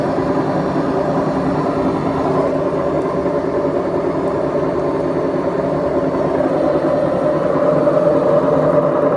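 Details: BEKO washing machine, 7 years 8 months old, drum bearings gone bad: steady loud rumbling roar with a faint rising whine as the drum turns, typical of a worn drum bearing.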